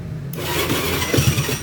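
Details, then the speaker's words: Honda BeAT FI scooter that started poorly on the electric starter but fine on the kick starter, after replacing the weak aftermarket pulser: brief crank catches at once and settles into a steady, even idle; normal quick start. "nah Perhatikan ya si motornya dia langsung hidup ya langsung ngelangsam"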